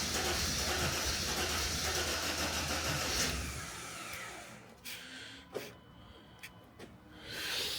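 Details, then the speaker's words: Mercedes SL320 unused for 3 years, camshaft sensor not fully plugged back in: steady starter cranking about three seconds with no firing; cranks but won't start, same problem as before, cause undetermined. "okay this is not good I was hoping for it to actually start firing up but it did not meaning that we'll have to dig deeper"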